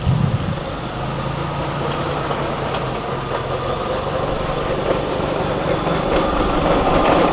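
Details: Mazda FC (RX-7) with manual transmission, idling, heard from under the car. Transmission oil is serviced and full, yet a rough, uneven clanging rumble of about four beats a second sits underneath. Suspected worn front gear set; the transmission is to be removed.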